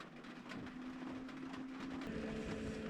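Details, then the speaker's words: Diesel heater in a camper van in cold northern Norway, retrying after flame failure (error 29, cannot produce flame): faint steady dosing-pump ticking over low fan hum and wind; cause not confirmed. "It might try to start a third time and then game over. I mean, it's end of June. Should be summer now, but not in Norway. So, wrong place for this girl. There comes the sound of the pump again."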